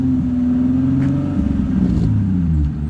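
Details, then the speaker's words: Car with newly installed JDM VQ35HR engine revving: raspy, chuffing exhaust note with uneven puffing under the rumble; exhaust leaking through many holes. "Bro, you can literally hear all the holes in that exhaust."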